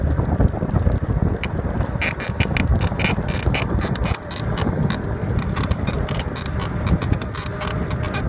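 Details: Cannondale Rush 29 bike while riding: sharp repeating rhythmic squeak ticks over heavy wind rumble; source unknown.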